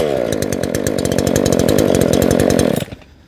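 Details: Chainsaw, deliberately flooded by leaving the choke on for about five pulls, cleared by repeated pulls; it then fires and runs with a quick, buzzy two-stroke beat for a few seconds before cutting out, starting cleanly.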